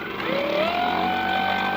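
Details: Electric motor after controller repair, powered from a charger with the key wire joined to red: smooth rising whine settling into a steady tone as the motor spins up, no grinding or clicking, running at full load.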